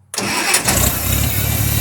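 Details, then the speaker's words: 1974 Farmall Cub that lacks power under load and only performs on 75–90% choke; here with no choke, no load, it holds a steady even idle. "All right, let's see what happens when that's no choke at all, right? Right. Now it's running fine, but it has no load on it."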